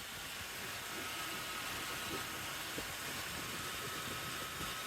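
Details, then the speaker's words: 1994 Chevy K1500 Silverado idling just after a new serpentine belt and tensioner pulley were fitted, belt previously suspected under-tensioned: steady, even idle with smooth belt whir, no squeal or chirp; belt drive running normally. "all right everything sounds good so I just want to take a look at the belt make sure everything looks like it's running smoothly"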